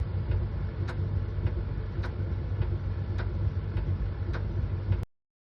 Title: Miele Tumble Dryer Moisture Sensor Replacement. Does your dryer have a loud ticking noise?? #miele